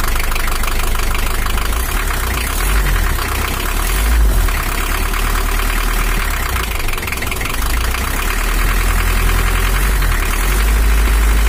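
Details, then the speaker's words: 1984 Toyota HiAce LH11 2L diesel, brought in for overheating, just started cold with the injection pump set fully to maximum: fast, harsh idle with a hard, uneven clatter over a deep drone, idle too high; rough high idle from misadjusted injection pump. "Putaran idle terlalu tinggi, terlalu tinggi. Oke, teman-teman, mesinnya sudah hidup, baru saja dinyalakan, tetapi suaranya terlalu kasar menurut saya, tetapi kita akan menghaluskannya nanti."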